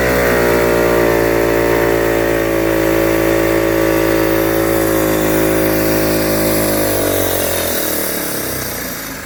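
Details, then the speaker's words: Rustler 260 automatic quad bike with a new plug, cleaned carburetor, and spark and fuel checked: starts and idles smoothly, but revving gives a muffled, smothered note that sags rather than climbing; engine bogging under revs, cause unknown. "it starts up fine as you start driving it revs up but it doesn't give up properly it sounds like quite a smothering sound"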